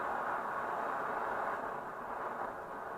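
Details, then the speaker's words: Swedish Optimus 8R camping stove after the cap seal was replaced, boiling water; steady, full hissing roar at full flame, no sputtering or surging; normal burner roar. "Sucker is roaring. Called roarers because they make that noise. Optimus stove. What a deal. Sucker is roaring away."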